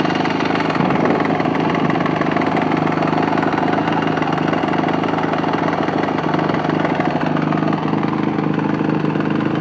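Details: Yamaha YZ450F single restarted after being dropped: idle with uneven rapping knock on the firing beat, about two per second, which began after the drop; source unknown.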